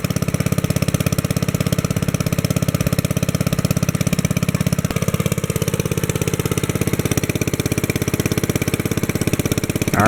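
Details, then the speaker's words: 1964 Wheel Horse 704 Kohler single-cylinder engine after a rod knock repair on a crankshaft worn 0.002 in out of round: even, steady idle thump with no knock or miss, only lifter tapping and belt flap. "that sounds good so far i'm gonna let it run at that speed for a little bit"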